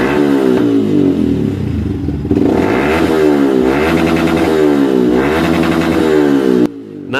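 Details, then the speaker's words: Yamaha Vixion that bogged and stuttered when revved, now fed by an external fuel infusion rig instead of its fuel pump: revs climb and drop smoothly to the limiter with no sputter, pointing to the fuel pump. "ketika kita menggunakan alat infus Ini motor tidak berebet ya Ini motor Sempurna banget sampai limit ketika kita geber ataupun blayer-blayer"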